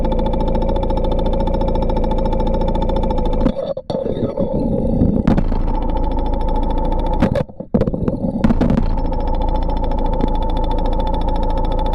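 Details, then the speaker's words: Porsche 944 at idle: steady, even fuel injector ticking, each injector about the same volume, so they sound healthy; they were cleaned and serviced about 18 months ago. "when listening to each of the fuel injectors they all sounded pretty good with no significant variances in volume across the set"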